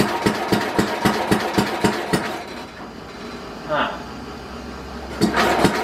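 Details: 1967 Simplicity Landlord 2010 lawn tractor, rear PTO unplugged, fuel on: steady starter churn about four strokes a second, stops and retries, never fires; spark and fuel then checked present, timing later found way off.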